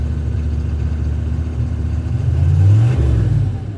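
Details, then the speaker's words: 1997 GM 6.5 diesel truck that lacks power then suddenly takes off; at quarter throttle the low drone climbs unevenly, sagging then surging, with a skip, occasional backfire sound and hazy smoke; hesitation under acceleration, cause not yet known. "so quarter throttle right there is kind of hesitant going a little harder"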